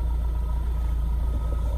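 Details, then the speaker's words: Mahindra Roxor first start after two weeks of polar-vortex cold at -5°F on the standard battery: steady, even low diesel rumble that smooths out completely, still smoking a little because it's cold; normal healthy cold idle. "you can hear the engine that smooth out completely still smoking a little bit because it's cold"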